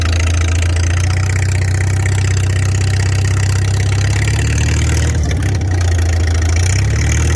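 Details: Farmall 300 Row Crop, 600-hour tractor, test drive after exhaust manifold replacement (original rusted through) and clutch adjustment, camera on chest rig; deep steady low rumble, even beat, brief dip under load; running smooth and healthy, TA working.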